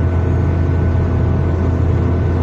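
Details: Hyundai Accent Blue driving under load: a deep, steady droning hum from a failed front wheel bearing, most noticeable when the car is put under power; to be replaced with an original part.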